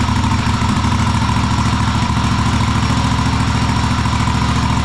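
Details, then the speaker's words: Cub Cadet Super LT1554 lawn tractor, 27 hp Kohler V-twin, 500+ hours, after head gasket rebuild, carb cleaning and adjustment, air box off: steady even putter at constant speed; engine running correctly. "And uh engine sounds really good. Well, it's a huge sigh of relief when you get the engine running correctly, especially after rebuild."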